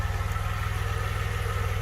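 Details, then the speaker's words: 1982 DeLorean DMC-12 with 5-speed manual, warmed up after a slow warm-up, nobody in the car. Low, even pulse with a steady rhythm and no hunting. Idle about 750–775 rpm, near the roughly 750 factory setting; sounds right. "so all right it's starting to sound a little better now it took a little while to get up to um"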